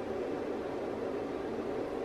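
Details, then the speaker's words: 24 V 3 A bench power supply running a roughly 40-year-old Weller temperature-controlled soldering station drawing about 50 W: steady airy fan rush with faint even hum, no rattle; supply fan normally spun up to high speed under load. "you can hear my power supply fan that is going to higher speed when I'm consuming the 50 but for disorder"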